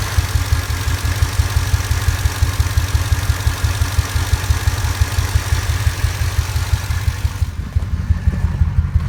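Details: Ford 5.4 2V V8 truck, three-month intermittent bank 2 misfire, coil pack replaced and injector cleaner run, no codes; lumpy idle with an uneven low pulse and occasional stumbles about three beats a second, shaking worse in drive, rough running from a misfire.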